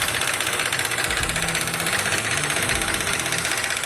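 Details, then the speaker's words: Charger engine idling with a fast, steady ticking; with the valve cover off, the timing chain tensioner was found loose ("a flopper"), matching the ticking heard. "yeah it's a Flopper all right you know what Dave it sounds exactly like the noise we heard that ticking there it is len oil and oil tensioners"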